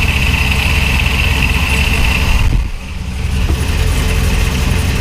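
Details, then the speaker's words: Procharger-supercharged 4th-gen Camaro V8 (LQ4/LS1), first start after fitting a front-mount intercooler and a new oil filter: lumpy but steady idle with one brief dip that recovers at once, no bogging or stalling; runs much better than before. "all right so the car actually ran pretty dang good I was able to give you some throttle not on the video obviously"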